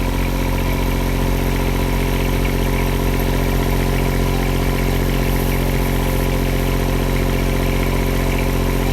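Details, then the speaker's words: Powertech CD 7000/8000 RV diesel generator that started but would not stay running, after rust was fixed and parts were replaced: a smooth, steady low drone with no hunting, surging or stalling, so it now runs normally. "The bag was having a problem with that, so there it is. You hear it running there, it works."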